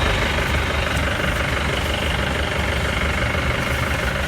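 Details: Mahindra Bolero diesel at idle after a power steering pump repair with no leaks: a steady, even idle with a low rumble and no whine or groan from the pump; normal idle.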